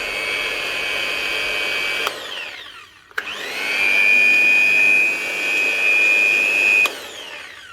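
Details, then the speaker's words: Hitachi G23SS angle grinder with a steady high whine that dies and restarts, running at only half speed and never reaching full scream. It is running slow on low supply voltage; miswired live or neutral to earth in the plug can also cause half speed. "when it starts up it'll only run half speed you'll actually hear but it's not running correctly very"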